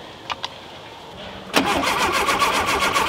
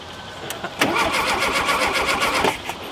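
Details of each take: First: Rare VW Super Beetle Baja Champion Edition, first start in years: starter turns the engine over evenly about four times a second for 3.5 s without firing; points open and close with power but no spark, bad condenser suspected. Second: Rare VW Super Beetle Baja Champions Edition, first start in years after spark was confirmed and timing set. A couple of starter turns, then it fires and runs with quick, even beats; a healthy start.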